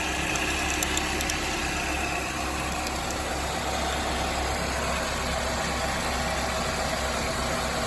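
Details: 2007 Chevrolet Cobalt 2.2 Ecotec at idle with constant fast metallic chatter over the engine note; timing chain slap from a broken chain guide, with the tensioner or chain also suspected.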